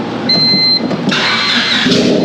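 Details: Honda car whose ECU was fried during a welding test, now running on a substitute ECU (possibly one for a '97 model): short crank, then it catches cleanly and revs up smoothly without hesitation; starts and runs fine.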